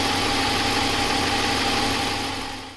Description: This is a point of reference for what a stock 5.7L engine sounds like in a Ram 1500 with no "Hemi Tick" , no lifter failure and no modifications.